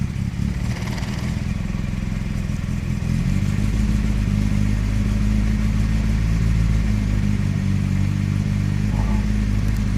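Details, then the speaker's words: Circa-1991 Nissan Primera P10 1.6 carbureted petrol, cold start after engine gasket work: raised fast idle held on light throttle, low uneven beat, stalls otherwise, light blue smoke; owner later found a damaged carburetor valve causing a poor cold mixture. "oui quelle galère vraiment au démarrage à froid"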